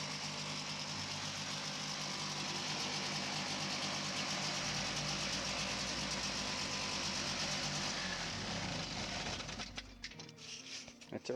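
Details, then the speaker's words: 1982 Yamaha Bravo snowmobile, two-stroke, with Phazer carb and clutch, rejetted to a 143.8 jet, recoil and oil injection fixed: a crisp, even buzz holding a steady pace for several seconds before shutting off; normal running. "seems to be running good now it's a gonna be a wrap for this project"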